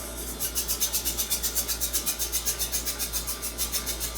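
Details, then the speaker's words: Liquid helium transfer line (helium at minus 269 °C, line starting at room temperature) during cooldown on a helium top-up: steady fast chirping of escaping helium, about four pulses a second over a low hum, slowing as the line cools; normal. "so you can see you can hear the chirping sound of escaping girls that is as is helium passing trying to pull the lines right now so okay so now you can hear the the chirping sound is slowing down"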